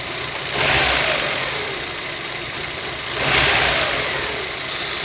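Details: Rover 25 1.4 petrol after a warm start: uneven idle that swells and sags in slow surges; a fuel pump was first suspected, but a faulty lambda (O2) sensor was the cause, and unplugging it improves the idle.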